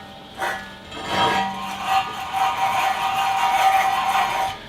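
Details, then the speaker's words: 2004 Dodge Dakota left front wheel bearing, front suspension disassembled, hub turned by hand: gritty scraping growl with faint ringing from a worn, bad wheel bearing; sway bar bushings and upper ball joint also worn out, all being replaced. "my wheel bearing I knew it was bad too when I was getting into this"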